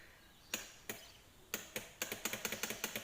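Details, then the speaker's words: Abandoned Chinese 125cc automatic quad, no clutch, trying to start: sharp dry clicks, single then about five a second, with no starter spin. Owner suspects the starter solenoid, and jump-starting the solenoid failed. "Yeah, the solenoid wanting to go. I'll turn the car on and see if it doesn't make it any better."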